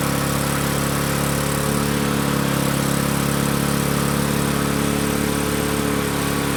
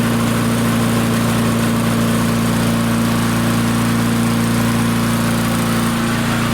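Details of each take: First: Barn-find Murray push mower with Briggs & Stratton engine, started on the shop bench after drill cranking: small engine screams at a high, steady pitch well above normal speed. Overspeed from a wrong governor spring; fix is unwinding the spring a little to lengthen it. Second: Barn-find Murray push mower, Briggs & Stratton engine, on the shop bench, air filter off, aiming for about 3400 RPM: steady high-speed constant drone, no hunting or stumbling; normal running, and the engine brake worked at shutoff.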